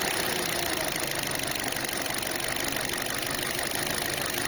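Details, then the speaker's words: Light, quick knocking over a steady petrol idle on a car with a dead head unit; a loose filler-neck hose is rattling, not the engine internals. "а вот что стучит у нас на этих слушайте болтается как это шланг Да горловина"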